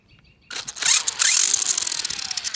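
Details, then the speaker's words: 3D-printed RC car on high setting: harsh, rapid, high-pitched rattling grind under too much torque as the spring-loaded slip clutch in the gears skips its teeth. "It has a RPM limiter in the gears, so like if there's too much torque, it'll make that grinding sound. It's just hopping off the spring in there."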